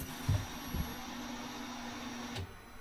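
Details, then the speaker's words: Can-Am Maverick R after EVO flex fuel install, ignition on without starting: quiet steady low hum for a couple of seconds then cutting off; fuel pump priming normally, checking for leaks. "We need to hit the ignition. Don't start it. And you'll hear the fuel pump run."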